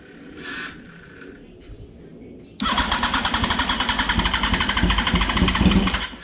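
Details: 2004 Yamaha R1 sitting unstarted for over 10 years cranks hard in a steady chug about four beats a second after two wires are bridged, but no cylinder fires; cranks, no start.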